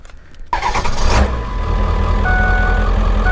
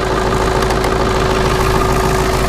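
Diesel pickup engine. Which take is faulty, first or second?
second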